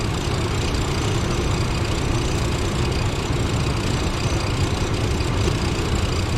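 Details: 1996 Chevrolet Blazer LS, warm idle after a few minutes' running, transmission dipstick reading empty: deep, smooth V6 idle at constant speed, no ticking, misfire or grinding; normal warm idle.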